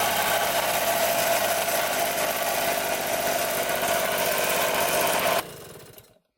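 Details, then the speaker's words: 1974 Honda Elsinore MR50 50cc two-stroke during a carb-cleaner spray test at the carburetor. The buzzy idle stays even with no rise or dip, then cuts out, so there is no air leak at the carburetor. "so as you can see the bug did not rev up or idle down when I sprayed the carb cleaner so there's no air leaked by the carburetor"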